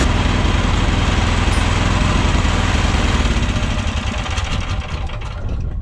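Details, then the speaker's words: Industrial FF12 Chinese mini excavator engine at idle in cold weather, about 3-4 °C; idle swells and sags unevenly as the governor hunts for speed, and the plastic buffer screw was adjusted. "so you hear the engine up and down that's called hunting that's the governor trying to find"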